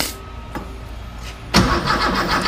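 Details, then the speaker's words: Car with distributor, spark and fuel confirmed: clicks, then rough churning cranking only slightly faster than before; never starts. Later traced to miswired plug leads. "It's not cranking any faster than last time."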